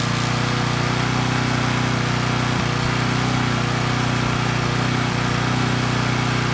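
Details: Coleman Powermate Pulse 1850 generator (PM0401850, 1996 engine 93412-0136-01) after carburetor repair and governor adjustment to about 62 Hz; even steady drone at constant speed, no hunting, under a space heater load slightly above 1500 W rating, maintaining 114 V; normal running.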